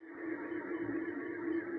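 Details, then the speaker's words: Ceiling fan on the workbench, blades spun by hand: a steady rough whirring hum with a gritty rasp as it coasts, typical of worn motor bearings that need replacing; the fan also sometimes fails to start. "el sonido que escuchamos es típico de rodamientos ya con problemas que requieren de un cambio"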